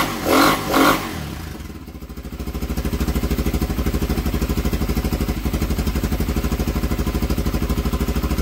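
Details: Honda XR 250 single-cylinder motorcycle stored 10 years, on old fuel, carburetor not yet cleaned: two quick blips, then fast, fairly even thumping with some clatter; runs but still rough from sitting, cause not confirmed.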